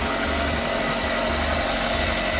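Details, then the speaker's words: Normal idle, Ravon R2/Chevrolet Spark M300 B12D2 (LL0) engine, 112,000 km, 5W-20 oil: first start after repair to cure an engine noise, cold at 23 °C after throttle cleaning and idle adaptation. Even, steady idle, smooth low hum, no tapping or knock. "работает тихо brown бесбаев что все снова посмотрим что у нас по параметрам"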